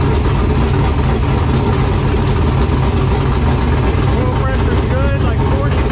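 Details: LQ9 V8 with Texas Speed MS4 cam on run stand, Holley Terminator X base tune: deep steady even idle, no ticking or misfire, valvetrain sounds good; owner thinks air-fuel slightly rich, needs fine tuning.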